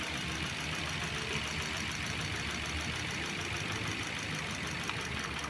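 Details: 2014 Mitsubishi/Swift petrol engine idling warm and unevenly with a stumbling rattle; power loss and misfire on cylinder 3, scan shows it losing signal.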